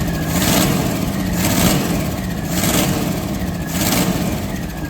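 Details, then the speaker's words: 1965 Ford Econoline after new points, proper distributor cap and correct-size belt, not yet road-tested: rough, lumpy running with a sharp cough roughly once a second over the engine note; slight misfire remains, though much improved. "Still got a bit of a cough, but it's a hell of a lot better. We won't really know till we take it down the road."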